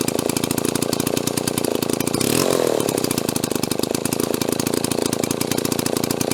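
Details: Restored Mall 12A two-stroke chainsaw, carb tuning not 100%: fast buzzy steady speed with one brief rise in revs, keeps running without dying.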